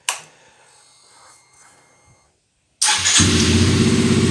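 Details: Honda CBR 125 R after tracing a no-start, no-power fault to a melted wiring conductor and repairing it: starter catches quickly and engine settles into a smooth, even idle; normal start and idle.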